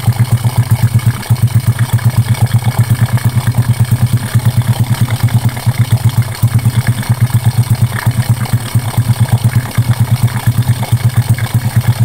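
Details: Honda Karisma single cylinder after an oversize piston and valve reseat, previously smoking white with rough piston noise: deep, even thump just under three beats a second, steady with no clatter; healthy idle.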